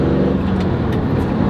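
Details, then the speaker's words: Chevy Camaro SS SLP at operating temperature, test drive after repair of a failed rear differential bearing (the one connecting to the driveshaft): steady engine drone and smooth road noise, no whine or growl from the rear axle; drivetrain sounds healthy. "Everything feels pretty good I'll go over in a second here what the actual issue was but so far so good"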